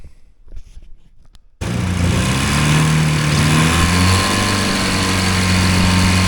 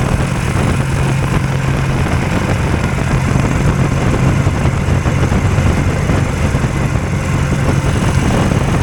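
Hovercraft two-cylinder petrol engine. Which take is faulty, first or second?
second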